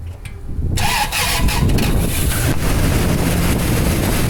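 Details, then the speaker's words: 2002 Toyota Sequoia crank-no-start, no codes, weak battery, fuel odor in oil suggesting cylinder wash, engine damage suspected: short erratic uneven crank catches briefly into loud rough run, then dies. Rough cranking then brief start. "It did crank and it started and then it died out and it sounds weird."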